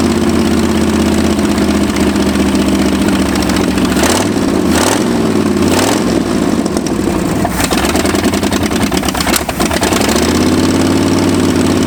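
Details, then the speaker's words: 1965 Ford F250 abandoned 26 years, after new spark plugs: an uneven, loping idle with rpm wandering and blipping up and down; better but still rough, with timing suspected next; cause not yet confirmed. "better still not right"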